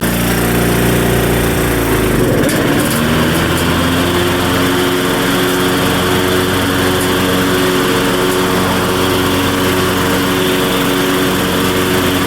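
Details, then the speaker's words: Craftsman LT1500 riding mower, single-cylinder engine, blades just sharpened and refitted: runs fast and steady, settling after a blip but staying high; idle sounds high, governor nut appears previously turned, owner checks governor adjustment. "all right so the idle sounds a little high to me and it kind of looks like there's some spots on this nut that kind of looks like it's been turned before so I'm going to see if it's in the right position"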